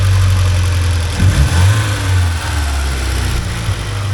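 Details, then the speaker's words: 1979 Porsche 924 idling around 950 rpm after fixing an air leak, fitting a new rotor and hoses and adjusting timing: steady, settled pulse with no stumble or hesitation; engine running properly. "Yeah, that seems a happier motor now. I think that air leak was causing a bit of a problem."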